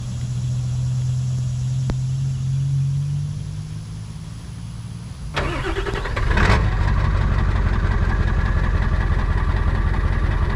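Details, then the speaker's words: Diesel truck ("Big Red") before injector cup and oil cooler work: lumpy idle with uneven beat and missing pulses, then restart to harder clatter; a few injectors missing, valve covers to be pulled to investigate. "Hope you can hear by that idle. We got a few missing injectors."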